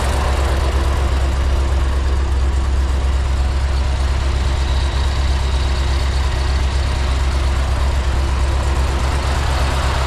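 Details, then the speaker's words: 2005 Chevy Corvette V8 with big cam after head gasket replacement, bleeding coolant with heater on: deep loping chop at idle, no misses or mechanical noises, no check engine lights; normal cammed idle. "all right guys if you can hear behind me the Corvette is on and it is chopping"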